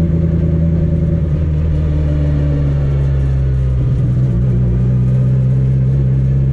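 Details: Car test-driven around the block after CV axle and driveshaft repairs: a steady low drone under light acceleration with no thumping or pulsing. No driveline vibration is felt, so driving is normal.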